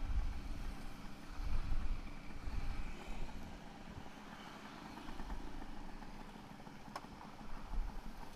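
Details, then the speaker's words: Suzuki A100 two-stroke after its carburettor was replaced after 47 years: it now holds a steady, low, even idle without holding the throttle, with no stumbling or dying out; normal idle. "nah ini dia udah bisa langsam nih motor Suzuki A100 ini jadi Mantap dah"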